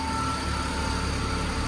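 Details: Smooth, even low hum at idle with no tinny rattle or buzz underneath from a new Skoda Slavia, whose owner had a rattling noise issue; the exhaust sounds secure, normal idle.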